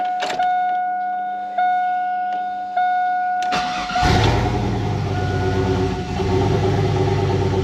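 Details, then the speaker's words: 1999 Chevrolet Silverado 1500 single cab 4WD, turbo 4.8L with 235k miles, 862 heads, Stage 1 cam, 4L80E, first start on base speed-density tune: chimes, cranks, catches, settles into steady even low-rumbling idle; normal start and idle. "Go ahead and fire it up for y'all. This is just the base tune. It's the first speed density tune, so it still needs a little work, but it's actually very dialed for what it is."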